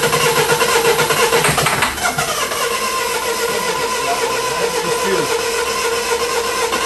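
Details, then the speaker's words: 2008 Mini Clubman R55 1.6 diesel (W40D16), parked two years: starter churns steadily, roughly two beats a second, and never catches, even with starting fluid; no fuel rail pressure (about 6 bar on cranking), fuel pump blamed. "no pressure still got no fuel no fuel so if you've got no pressure fuel pump it's got to be the pump fuel pump"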